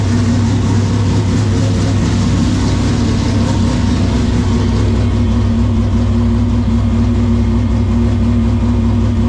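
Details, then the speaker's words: LS2 V8 ex-stock car converted from carburetor to a Haltech Rebel LS (replacing a Holley Sniper 2), cold start inside the garage in neutral: fires easily into a loud, steady low idle with no misses, ticks or knocks. "that is incredibly loud um inside the garage now so that's what I'm saying that this thing just fires up so much easier than it used to"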